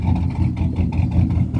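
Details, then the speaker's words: 2001 Chevrolet Silverado 5.3 4WD: rough, uneven engine note stumbling and surging, misfiring; also overcharging at 16 volts even after an aftermarket alternator was fitted, and owner says it sounds like it has a cam; cause not pinned down. "four-wheel drive it's got a misfiring [Music] issue it's misfiring you can hear it the shop said it was an alternator it was overcharging a 16 volts"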